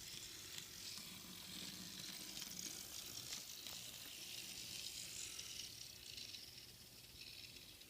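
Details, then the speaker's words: Walthers GP38-2 Santa Fe model locomotive noisy mainly in reverse, heard running: steady high-pitched whirring hiss with faint rattle from the drive gears. It doesn't slow the engine, and the owner expects the noise to subside as the gears wear in. "as it goes around the track a few times and it wears down, I think the noise will subside and then it will be okay."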